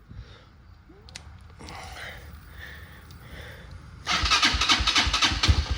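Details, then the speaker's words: Hawk at 7,842 units and 286.4 hours, first start after seven months parked, throttle cable broken: a few seconds of cranking, then catches into a fast, uneven but steady idle with exhaust popping; engine starts and runs. "yeah oh boy she's gonna run foreign all right guys well you guys saw it firsthand it runs now"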